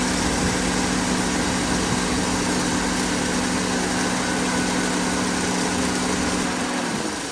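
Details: 2007 Suzuki Vitara 1.6 VVT at idle: steady rough grinding hiss over an even idle with a constant low drone from the engine bay; owner suspects the AC pump, source unconfirmed.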